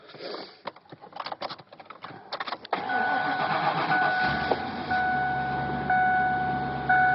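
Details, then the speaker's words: 1997 Mercury Mountaineer AWD, 5.0 L V8, 135,000 miles, cold weather start: some rattling, a short crank, a clean catch, then a steady cold idle around 1,000 rpm with no knocks or misses; healthy cold start. "Listen to it run a little bit. Still a little bit cold out. See the idle's normal around 1,000."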